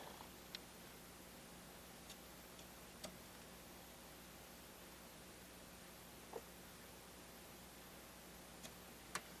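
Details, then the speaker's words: Harman Kardon HK3270 receiver output: faint, irregular clicks, pops and crackling over quiet hiss and hum, triggered while heating transistors with a soldering iron to find the fault. "hear clicking it's very faint do you hear that crackling"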